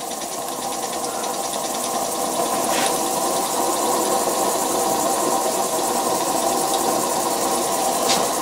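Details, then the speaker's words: Homemade vertical model steam engine with spool valve running on about 3 lb steam pressure from a boiler: steam itself silent, steady burner roar over a soft regular beat, no knocks; running smoothly. "totally silent too steam is totally silent but the burner is making some noise you can hear the burner and uh 3 lb of pressure is what that is"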